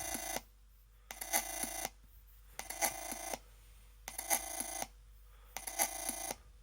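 Bright phone-like warbling chirps in bursts about every second and a half, quiet between; odd electronic chirping, source unknown.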